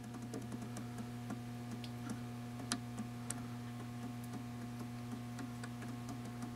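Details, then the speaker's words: Generac governor with stepper motor on a Mercedes-powered 24kW ST generator head, 12V powered, signal generator set about 60Hz reading 63Hz: steady low hum with scattered sharp clicks as the stepper nudges the throttle; normal correcting. "if you look at the stepper motor there it's pretty pretty steady it clicks every once in a while I turn this fine adjustment knob you hear it start to correct a little bit it's pulling some throttle out"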